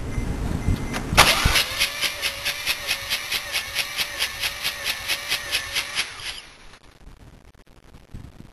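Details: Rotary engine after engine blow-up: starter whine with fast, even cranking pulses for about five seconds, never firing; blown rotary engine won't catch.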